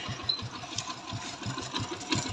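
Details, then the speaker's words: Hero Passion Pro i3s motorcycle before timing chain replacement, idling with throttle released: fast, light metallic chatter, about eight ticks a second, over the engine beat; worn, slack timing chain rattle. "सबसे पहले अगर हम RPM को छोड़ देते हैं तो हल्का हल्का किरकिराहट जैसा साउंड आता है।"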